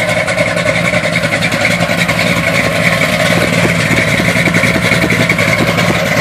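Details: 1971 Chevy Blazer on cold start with an uneven, lumpy idle wavering about three or four beats a second; rough idle of unclear cause.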